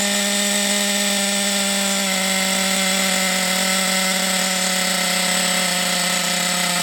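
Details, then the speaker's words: Thunder Tiger EB4 S2 Pro nitro RC buggy, hot engine with reasonable compression, first run after shed find; high steady buzzing note at constant revs without sputtering or cutting out. Normal running. "it sounded good though that sounded good didn't it that run"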